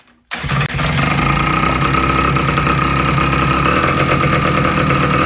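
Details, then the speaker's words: Vintage two-stroke motorcycle on premixed two-stroke fuel with the oiler disconnected and no seat or tank fitted: catches after a brief silence and settles into a crisp, steady, even idle, now running well. "There we go. Holy buckets, guys. Yeah. She's working good now."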